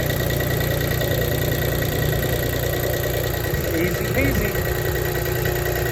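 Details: Toro diesel mower tractor that was run out of fuel and got air-locked, now idling after the fuel line was bled at a 12 mm screw with the ignition on. It gives a steady, even low chug with no misses or stumbling. This is a normal idle.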